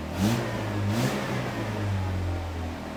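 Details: 1987 Pontiac Fiero after repairing its stretched throttle cable: engine fires up and revs cleanly twice, pitch rising and falling smoothly with throttle, no knocks or misses; runs normally.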